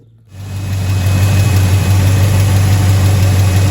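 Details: Abandoned, fire-damaged 1977 Chevy Silverado after a new front seal and about a gallon of gas: catches and settles into a steady, even idle, smooth low rumble, no ticks or knocks.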